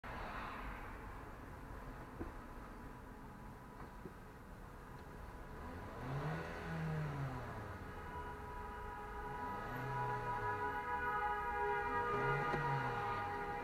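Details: Toyota Corolla CVT, under 55k miles and under warranty: in drive the transmission disengages and coasts, then strong grinding and whining tones as it tries to re-engage, finishing with a jerk. Slipping, cause not confirmed.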